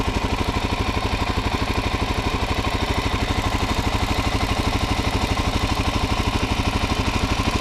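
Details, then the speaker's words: Stock 2019 Suzuki DR-Z400SM single at 452 miles, one service so far: steady, even thumping idle with a light valve tick, no misses or knocks; normal idle. "I mean, as you can hear, they are a little bit of noisy engines, but overall I think if your bike sounds anything like this, you'll probably be good."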